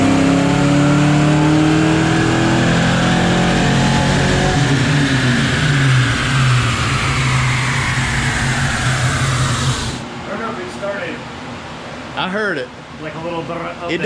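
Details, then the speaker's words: 1987 Saleen Mustang Fox body V8 on E85 on the dyno, sluggish below about 3,200 rpm: revs howl up steadily about ten seconds, go ragged near the top and fall off; suspected valve float. "honestly man I think it's vales freze that would make sense I think it's floating to valves right there that would make the way it falls off like that yeah yep that's exactly what it sound like"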